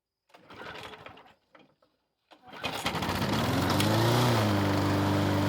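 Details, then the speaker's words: Lawn mower with Briggs & Stratton 475 engine after replacing a broken intake tube and the carburettor diaphragm: a pull, it catches and settles into a smooth, steady governed hum with no misses or surging. "Yes, it did start straight away and it seemed to run"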